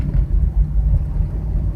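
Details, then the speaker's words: Chevrolet Impala while driving: a deep, steady drone from the front under road noise that rises with speed and is clear from about 30 mph, not louder when braking. Owner suspects a bad driver-side wheel bearing, unconfirmed. "okay I'm not sure how good that humming comes up but I believe I have a bad wheel bearing I mean it's humming pretty loud and the noise kind of faster I go you know it goes with the wheel so"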